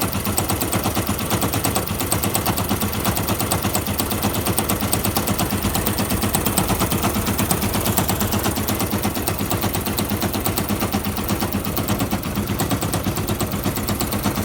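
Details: Fuel-injected Yamaha YBR125 single with a rapid, hard machine-gun-like knocking rattle and bad vibration that come and go at all road speeds; new piston and barrel fitted, clutch basket checked with no play, owner unsure if engine is bad, cause unknown.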